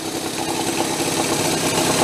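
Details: Homebuilt steampunk motorcycle built on OCC twin chopper bikes, about 70 lb, powered by two small two-stroke engines, first run in years, low on alcohol-free fuel: a steady even fast putter of an idle with no knocks or misses; running fine.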